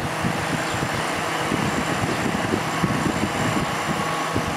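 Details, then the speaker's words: Old Kenmore dehumidifier with Embraco reciprocating compressor, cover off, after freeing the seized fan motor and reassembling with washers on the shaft: even, steady whirring with no knocks, rubs or squeals. Fan motor now runs normally; unit later found low on refrigerant. "oh that motor still works fine which is"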